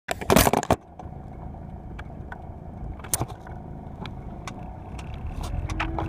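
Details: 2004 Acura TSX automatic: low rumble with scattered, irregular clunks and knocks; owner suspects bad rear motor mounts, bushings or sway bar, not the engine itself.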